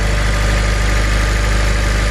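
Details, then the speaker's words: 2007 Honda Civic Si idling after replacing the tensioner, serpentine belt and idler pulley: a smooth, even low idle with a steady rumble and no squeal, chirp or rattle from the belt drive; the earlier noise is gone; normal idle. "sounds like sweet sweet success to me everything seems to be running good"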